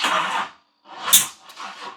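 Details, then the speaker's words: GMC Typhoon after sitting 21 years, first start on starting fluid into twin throttle body, weak cranking: sharp hissy pop spits back through the intake mid-crank; intake backfire from crossed spark plug wires. "So if you get backfires out of the intake, you have your plug wires mixed up usually, and that's what we had."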